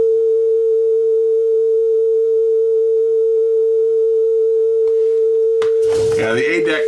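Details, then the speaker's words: Sony TC-W32 dual cassette deck after new belts: a steady test tone on the A deck wavers slightly in pitch, then handling clatter. Flutter on the A deck, which sounds poor, while the B deck plays fine. "okay let's take a listen to the speed looks pretty close the B deck is sounding good the a deck though not so good little bit of"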